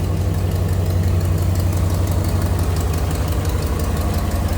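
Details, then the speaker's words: 1961 Ford Galaxie Starliner, 352 V8 with 3-speed Cruise-O-Matic, at cold idle: light, regular tick over the low rumble from an exhaust leak, which goes away or gets much quieter once warmed up. "There you can hear a little bit of the exhaust leak. I guess it goes away or gets a lot quieter when it's warmed up."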